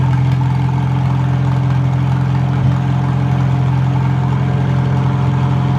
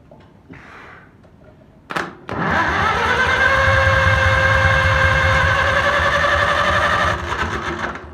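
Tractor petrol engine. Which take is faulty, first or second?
second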